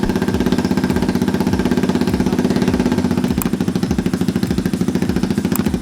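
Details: Honda Grom with swapped CBR250 engine, first start after fuel pump replaced and primed: quick regular thumping idle, about three beats a second, steady and even, no misfire; single starts and runs properly.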